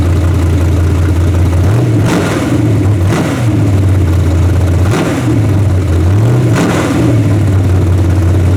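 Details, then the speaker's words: Freshly torn-down and rebuilt 406 V8 in a truck, carburetor and open plenum fitted; deep steady idle with quick clean rev blips that rise and fall smoothly, sounding healthy and snappy, possibly needing a bigger carburetor. "It sounds more. Sounds good. It's got that big plenum and stuff on it. I mean that Open plenum and stuff on it now. It's snappy."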